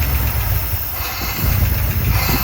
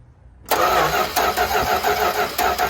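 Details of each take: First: 1972 Dodge W200 Power Wagon revival after years sitting, running on hand-poured fuel with old gas and possibly plugged muffler: low lumpy rumble surging and sagging unevenly; engine flooded from too much fuel dumped in, fuel pump confirmed pumping. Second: 1972 Dodge W200 Power Wagon being revived after sitting for years, spark just confirmed healthy: starter bites and spins the engine evenly with regular compression pulses, no grinding or catching; normal healthy cranking before feeding it premix fuel.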